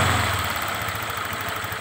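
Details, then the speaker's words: Honda Vario 125 New scooter, previously rough with tek-tek ticking at idle and off-throttle: after the tensioner was extended about 2 mm with brass welding, it settles to a steady, even idle with no top-end ticking, then a sharp noise at the end. "temen-temen sudah berhasil hasilnya normal Ya seperti baru lagi"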